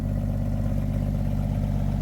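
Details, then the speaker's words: 1962 International B150 farm truck, first start after sitting for years: deep, rapid, evenly spaced exhaust thumps at a steady idle with no miss or stumble, no smoke, an exhaust leak up front; idling smoothly. "Yeah. Clearly it runs. An exhaust leak up front there. It's not smoking."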